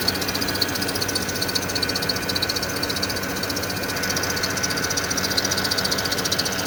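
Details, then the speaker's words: Porsche Cayenne idling with high, steady screech pulsing with engine speed from the auxiliary belt, ongoing a couple of days; owner suspects tensioner. "It's making a horrible screeching sound and it's been doing that now a couple of days."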